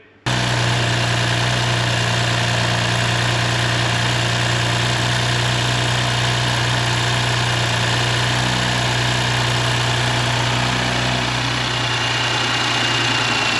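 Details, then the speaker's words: Audi S4 B9 3.0T at 55,000 miles, after precautionary rocker arm replacement, new oil and filter, first start: smooth even idle with steady low hum, no ticking or knocking; normal idle. "the engine came with no noise and is leaving without any noise so to us it's absolutely fantastic"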